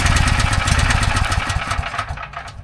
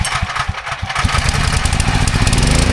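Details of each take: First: Briggs & Stratton 6,250 W gas generator, oil level checked OK: rapid chuffing recoil pulls with uneven compression puffs that fade, turns over but never starts; fouled spark plug. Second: Uneven pulling puffs catch within about two seconds, then settle into a smooth, steady run: a Briggs & Stratton 6,250-watt gas generator that would not start after sitting, started after fitting a new spark plug.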